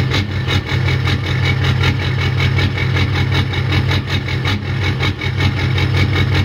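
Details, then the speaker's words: Warm Ford 6.0 diesel, rebuilt engine with 155/30 injectors, custom tune, before swap to 190/75 injectors: uneven lumpy idle pulse around 150 a minute instead of smooth clatter; rough idle, owner hopes injectors fix it, cause unconfirmed. "so here's the problem I'm having with idle I'll go ahead and start it up it's warm enough now you should be able to hear"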